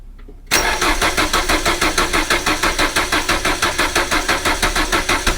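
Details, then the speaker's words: 1980s Renault 9 after radiator and cooling fan replacement, sat a few weeks unstarted: starter cranks steadily about three compression beats a second without catching, as fuel drained back to the tank and the mechanical fuel pump takes time to refill; then runs well. "It's because it's been sat for a few weeks without being started, the fuel's drained back into the tank. Obviously mechanical fuel pump takes a while to crank the fuel through."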